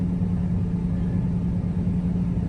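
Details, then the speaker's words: 2008 Toyota Tacoma with about 578,000 miles, just back together after a half-finished head gasket job; steady even low rumble with no knocks or ticks, running well. "Hear this thing running. Sounds good. There's a little hiccupy at first."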